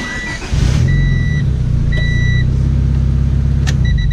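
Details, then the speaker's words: Daily driver after bypassing the failed clutch switch by looping its yellow 2-wire plug so the signal reaches the starter: half a second of quiet, then the engine fires and settles into a steady idle over a chime; normal start. "Unplugged it, looped it together. The signal makes it all the way to the starter now."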